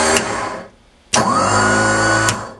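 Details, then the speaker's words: Warn M8000 12 V winch with MRV B7 motor: sharp click, then the motor spins up with a steady even hum for about a second and stops cleanly; normal winch operation. "et là ben ça fonctionne pareil que tout à l'heure"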